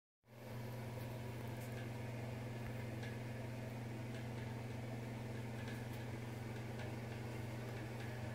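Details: Bathroom fan: steady low motor hum with intermittent light ticks and rattles that cycle for varying lengths; rattle returned days after a service visit, and a deep hum had grown louder over months beforehand. Cause unclear.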